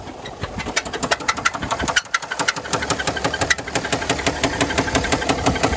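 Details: 2009 Mercedes ML320 OM642 diesel at idle with heavy steady knock about three times a second; began after 4-hour drive following oil change with no oil on dipstick; suspected rod knock, unconfirmed.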